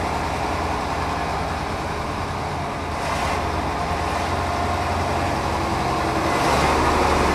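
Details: Mercedes O302 coach of Autocares Cabranes, described as mechanically perfect: a smooth, steady diesel run with an even low drone and no knocks or rattles beyond road noise. The engine sounds healthy.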